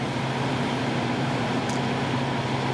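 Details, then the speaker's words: ProFusion EH-4604B 7500W electric garage heater: after the contactor clunks and elements warm, the fan starts after a short delay with a steady, even hum and smooth airflow, no rattles or scraping; normal fan running. "So the elements are warming up now. And there goes the fan after a short delay."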